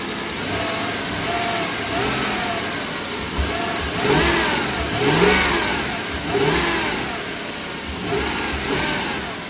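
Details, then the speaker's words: 1995 Toyota Celsior (JDM LS400), 1UZ-FE V8, starts right up and revs smoothly with no misfire or knock after a tune-up with new spark plugs, ignition wires, coils and air filter; healthy revving. "1, 2, 3. Oh yeah. Start it right up. That's what you want. You want to get it started right up."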